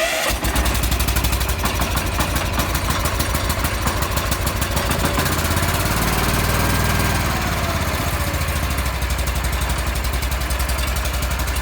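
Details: Wheel Horse garden tractor with a new electric fuel pump, started in neutral on a cold, snowy day. It catches almost at once and settles into a steady, even single-cylinder idle with no misses; a clean cold start.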